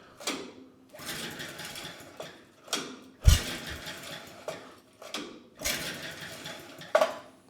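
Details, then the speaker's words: 1959 McDonough T-10 "Tin Lizzie" go-kart engine, idle for decades: the compression gauge reads 0 psi against about 60 psi expected; pull-start whirs spin freely with no compression pulses. "And yeah, we have absolutely no compression. Well, no big surprise. I didn't think we were going to have any."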